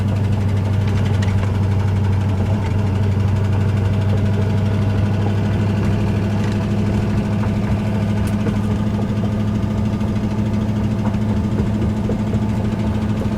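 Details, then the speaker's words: Ford Ranger with 302 5.0 V8, driven gently: rough uneven idle with a deep knock roughly twice a second, worst yet, engine being replaced; rod knock. "the worst I've ever heard the truck knock. I'm just trying to nurse it."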